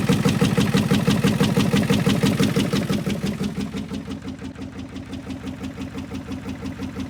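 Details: 1986 Ford F350 6.9 diesel, tow-started with a strap around the crank pulled by a pickup. It runs with heavy regular thumps about three a second over harsh clatter, lots of smoke and noise; owner suspects crankcase pressure.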